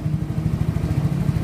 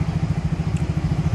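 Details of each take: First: Yamaha Mio J scooter after diagnosis, sensors, injection and ignition checked, compression starting to weaken: small single putters along at an even idle, picks up smoothly on a light blip and settles back; running normally. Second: Yamaha Mio J scooter, hard starting, stumbling under heavy throttle and stalling when throttle released, injector already replaced without fixing it: lumpy, uneven low putting at idle with stumbling pulses.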